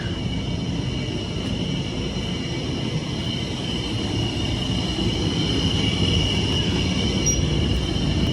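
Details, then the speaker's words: 45 kVA Magnum/Generac generator with Marathon alternator and Isuzu diesel, 100-gallon frame tank, ex-rental, after repair, doors being closed; low even diesel rumble with faint steady high hum, no knocks or misses: normal smooth running. "got an Isuzu diesel actually runs really smoothly it's pretty nice let me shut all the doors up it gets really quiet"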